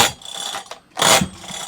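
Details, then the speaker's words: Honda HHH25 4-stroke hedge trimmer, choke on: two quick rasping pull-cord pulls with ratchety whir and no catch; recoil starter slipping from a broken small plastic part underneath; engine also bogs, carburetor suspected. "So that's the reason why it's slipping, I would say, straight off the old bat."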